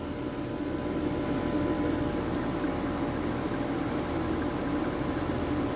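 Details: Compressor that was hard-starting and stuck: steady, even hum at a constant mid-low tone with no stalling or clicking, now running normally.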